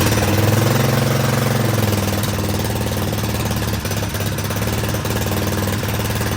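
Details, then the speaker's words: Predator 212cc non-hemi engine built to stage 3 with billet flywheel and rod on a mini quad, first start with choke: fast, even single-cylinder thump settling after start, no misfire or knock; normal running. "run sounds good though all right got it all together and all buttoned up"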